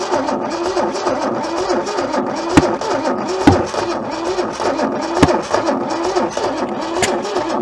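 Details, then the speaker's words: Old junkyard Holden left sitting for decades, breaker-point ignition, battery possibly running low: starter cranks unevenly, speed surging and dragging as one cylinder blows compression back past a stuck-open valve. "How it's not turning over at the same speed. You hear it sort of speed up and slow down. That's a good observation. That's the sign that it's blowing back under this valve."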